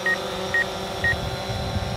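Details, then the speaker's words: DJI Phantom 4 Pro drone on first flight, rear obstacle avoidance sensors detecting people nearby: three short high beeps about half a second apart over a quiet hum; obstacle proximity warning. "Yep, those are the rear sensors. So you hear that beeping, that's it saying, hey, I'm gonna hit something."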